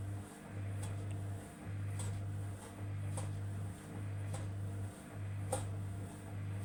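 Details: Samsung EcoBubble washing machine: low motor hum dipping about once a second with a sharp tick each cycle; an odd repeating noise with no clear cause.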